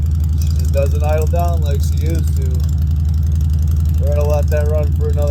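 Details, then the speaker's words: 2016 Honda Fury 1300 cold-started after two months sitting, no trickle charger, warmed up one to two minutes: steady idle stays high around 220 beats per minute and won't idle down; problem began late last season, shop visit planned. "I don't know if you can hear that but it don't idle down the right way I got to take it to a shop when Springtime comes"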